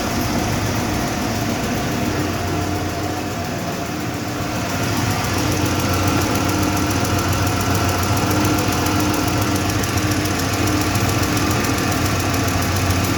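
Light, fast tick riding over a steady idle, roughly three or four a second, constant with speed; source not yet pinned down.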